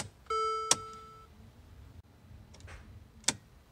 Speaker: hi guys today I'm gonna show you how to troubleshoot your engine when you try to start the car and it just clicks like that